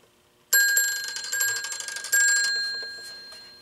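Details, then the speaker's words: Stromberg 500 rotary desk phone, initial checkout: thin bell rattling in two short uneven fading bursts on incoming call; ringer won't ring properly without line amplifier. "know what, I'm going to plug this into the line with the amplifier because it's not going to ring properly without it."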